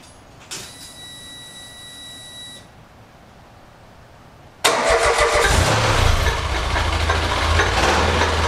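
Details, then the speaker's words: Mirage dune buggy after CV axle rebuild and ignition timing correction: brief click and pause, then it catches into a strong even idle with all coils firing and no missing beats; previously misfiring and down on power, now running healthy. "the engine is running far superior to what it ever has before the timing is finally right all coils are firing"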